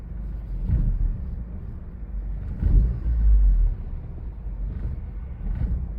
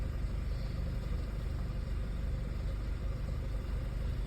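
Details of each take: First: Audi A4 idling, lurching and sagging unevenly, dipping almost to a stall every couple of seconds before catching, eventually cutting off; throttle response also rough; rough idle nearly stalling. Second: Audi A4 with an ongoing rough-idle and stalling problem, cause unknown after many parts were changed; low, even rumble with a steady firing beat and no stumbles or misses; idling smoothly at this moment.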